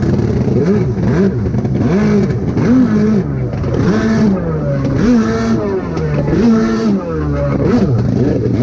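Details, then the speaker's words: Rebuilt SuperFreak two-stroke watercraft (760) on the water, carbs torn apart repeatedly with new kits on both and different jets tried, still unsolved: revs surge and fall back repeatedly, never steady under throttle. Poor running, carburettor fault suspected. "All right. Well, as y'all can see, the ski is running like crap. Um, couldn't ever get it figured out. Um, tore the carbs apart multiple times, put different, uh, jets in it, everything."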